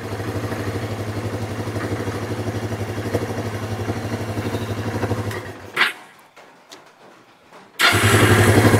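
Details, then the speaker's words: Kawasaki Bayou 300 ATV with aftermarket carburetor, air box refitted: single cylinder thumps about four per second, cuts out and restarts; probably runs rough when cold, slightly better warm. "she's running probably a little cold natured too after it gets warmed up it does a little better"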